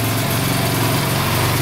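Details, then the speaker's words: Arctic Cat DVX 400 sport quad after valve adjustment and re-shim, first start on choke after earlier starter-engagement trouble: crisp, even single-cylinder beat settling to idle, with no ticking or misses and a quiet valve train. "Let's see if I can turn the choke off. Sounds really good. Holy cow. Oh, is it gonna idle? There we go. Sounds really good."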